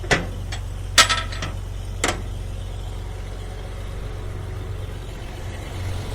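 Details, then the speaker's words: 125 grinder mixer after a fan blade repair: steady low hum with hardly any vibration and no rattle or pounding, unlike the earlier hammering. "there a hardly any vibration at all"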